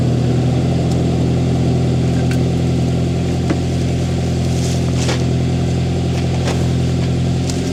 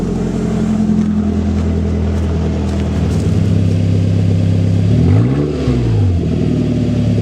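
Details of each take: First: Toyota Tacoma 2.7L 3RZ cold start after installing a Thrush glasspack in place of the stock muffler: deep smooth low rumble at idle, clean rises on revs, even running, not harsh or loud. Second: Toyota Tacoma with 2.7L 3RZ engine on a cooler day, stock muffler cut off leaving an open 2-inch pipe: raw, loud, rough bark at idle, then a quick rev rising and falling.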